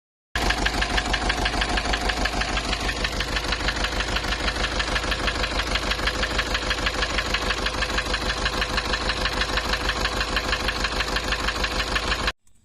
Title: Nissan Urvan Estate ZD30 E25 engine knocking replaced engine block assembly